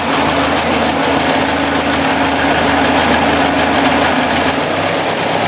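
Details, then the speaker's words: 1956 Ford NAA tractor, 134ci four-cylinder, after Pertronix 1244A electronic ignition conversion replacing points: steady, even idle with smooth unbroken beat, no misses or stumbles; seems smoother than it used to, healthy. "Actually, I can tell already it seems to be odd and smoother than it used to."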